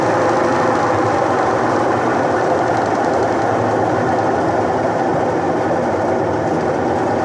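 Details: Electrolux washing machine: even, continuous motor hum with a steady churning rhythm and no stalling; the washer runs normally again.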